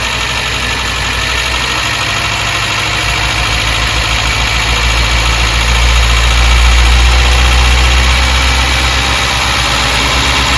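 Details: Škoda Favorit Forum, first start after head gasket replacement, before oil and coolant service: even, steady idle with a smooth low hum and no knocks, misses or hunting; engine running cleanly.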